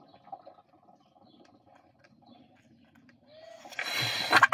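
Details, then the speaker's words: Mouv'spa hot tub pump switched off, purge plug removed: near silence then sharp hiss of trapped air venting from pump purge. "Je vais débrancher la purge pour laisser l'air s'évacuer. Vous allez entendre"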